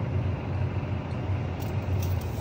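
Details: 2024 Kia Sportage Hybrid accelerating, including uphill, windows down: heavy low droning hum with slight throb from engine, stops in EV mode; cause unknown; abnormal engine drone under acceleration.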